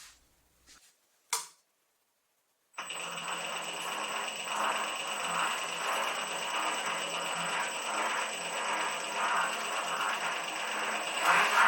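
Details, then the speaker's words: New WM210V metal lathe after changing gears: steady motor hum with high whine and rough uneven chatter about four beats a second from change gears; not great but improved as gears wore in, nuts loosened and need retightening. "So the sound is not great, but it improved over time. They just worked themselves in."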